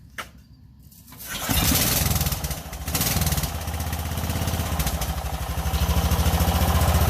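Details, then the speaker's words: Mud mower small engine after rebuild, spark plug and carbon-coated head cleaned: quiet spell, then it catches and settles into an even, steady low beat with no misfires; smoother and quieter than ever, running normally. "it actually sounds like it's running better than it ever ran before it sounds really smooth and quiet"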